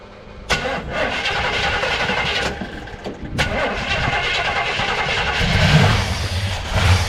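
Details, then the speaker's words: 1964 El Camino with an aftermarket Powerjection III throttle body: the starter churns with only one fire per attempt and won't start; a fuel issue is suspected, as nothing injects into the barrels with the key on. "it just sounds like it wants to run um I can get like one fire out of it every time now I still think it's a fuel issue"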